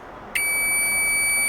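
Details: Chinese multimeter whose faint continuity buzzer was replaced with a microwave-oven buzzer. A sharp, steady, loud high-pitched beep cuts in cleanly and holds even, much louder than before.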